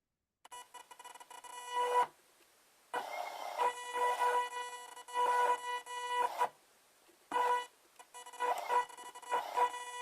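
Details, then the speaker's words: Motor driven by a 30 A BTS7960 (IBT-2) board under Arduino potentiometer-following control: a steady ~500 Hz whine while the motor moves, stopping when it stops, from the Arduino analogWrite PWM frequency. "And you can watch for the fact that when I stop, the noise stops. And when it's moving, you can hear that noise. And that noise will always be there because of the PWM frequency that we're running."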